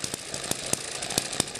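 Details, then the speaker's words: Eachine ET7 (same as M94) model hit-and-miss engine on its original governor springs at about 1600 rpm: quick even bangs four or five a second with no skipped beats; the stiff springs let it overspeed and fire every cycle without missing. "that's showing 3200 rpm we divide that by two so this is running about 1600 rpm"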